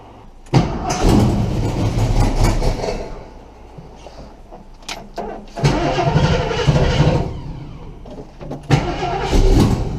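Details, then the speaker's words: Engine on cold start, exhaust header gasket blown at the rear, located by stethoscope: uneven idle with a light, fast clicking ticking on the exhaust note from the leaking rear header gasket; exhaust manifold leak. "Yep, I can still touch the header, but that clicking is that leak back there."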